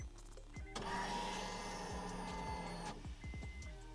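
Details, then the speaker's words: Fully built turbo Integra, first start after about a year unused, battery possibly dead, third key-on prime: steady electric whir for about two seconds that stops cleanly; healthy fuel pump priming, no leaks. "we're gonna prime it one last time because this is gonna be a third time I primed it but listen to that fuel pump"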